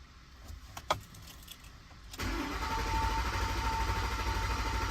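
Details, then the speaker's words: 2010 Ford Explorer 4.6L 3V with cold-start misfire, cranking during relative compression test: fast, smooth, even cranking beat; compression good with about 0% difference across cylinders. "so cranking at sounds it's nice and fast sounds smooth sounds even so on the compression side without even using the scan tool I can tell the compression should be good to go"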